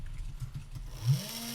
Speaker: We'll first try moving the RA drive to the east. We can hear the motor running, so we know that the command worked.